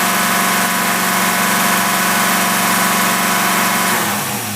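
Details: Holley four-barrel carburetor with manual choke tested on a running engine at about 50–55 mph cruise, light load, mixture about 13:1: steady even drone, no misses, knocks or surges; running cleanly.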